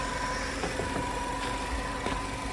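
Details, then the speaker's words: 2012 Chevy Malibu at idle with a feel of misfiring; scan tool then shows a cylinder 2 misfire. Also a customer complaint of hard shifting. Steady low idle hum broken by occasional uneven thumps; intermittent misfire. "it does feel like it's misfiring uh there's no misfires on the uh oh there we go just popped up cylinder two misfire"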